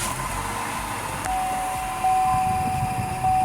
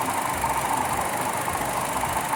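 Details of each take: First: Buick Encore, Ecotec 1.4L, check engine light on and running rough: just after start-up, slightly cooled, a thin steady high chirp sits over the idle. It is suspected to indicate a failed PCV valve in the valve cover. PCV valve chirp. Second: Buick Encore Ecotec 1.4L turbo after a valve cover replacement for a bad PCV valve, with the AC fan running: a smooth, steady idle and no more PCV whine or wheeze; normal.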